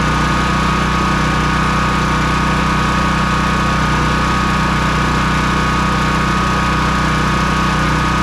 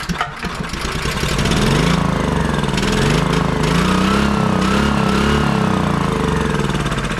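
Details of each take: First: Honda EB3800X generator with GX240 8 hp engine after carburetor replacement and a sticking governor freed, speed set to about 125 volts with no load: smooth, steady hum at one speed, no surging; normal governed idle. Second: Honda EB3800X generator, GX240 8 hp engine, that won't start or stay running: it fires on starting fluid with good spark and races in uneven surges, nearly overspeeding. Fuel starvation from a faulty carburetor, replaced.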